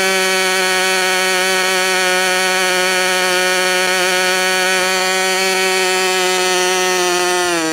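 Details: Freshly overhauled modified K&B .61 glow engine from CF Lee, test run after idle screw setting and restart: high, steady buzz at even pitch for several seconds, sagging slightly at the end; running cleanly.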